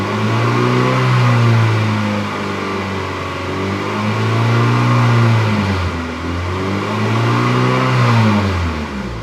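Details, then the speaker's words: 1997 Acura Integra GSR with aftermarket intake, after header flange gasket replaced and welded: clean rev rising and falling smoothly past 3,000–3,500 rpm with no rattle; normal revving, rattle fixed. "okay so it was working fine now no more rattle"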